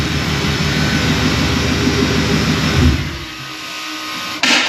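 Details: Coyote-engined Ford Ranger road test after fixing a high-pitched squealing, vacuum-leak-like noise and oil leaks; steady even engine drone under road load, no knock or tapping, settling lower toward the end; normal running.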